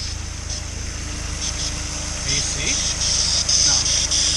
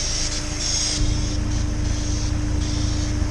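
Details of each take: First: Honda S2000 F22C, over 130K miles, first start after timing chain service and stock intake box refit: steady idle with uneven airy whistle and hiss; bypass valve noise, hose routing being rechecked. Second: Honda S2000 F22C, over 130K miles, after timing chain service and stock intake box reinstalled: smooth, even idle with a steady low drone and no whistles or rattles; quiet, normal engine.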